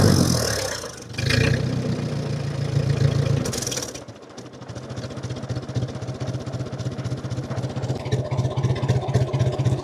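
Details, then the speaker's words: 1950 Ford 8N tractor, straight 4-cylinder, in neutral after cleaning filthy spark plugs: pulls smoothly through a rev to full throttle, then settles to a slow steady idle about 300 rpm with no misses; much better than before. "Let's go from a complete idle to full throttle. Yeah, that's way better than it was."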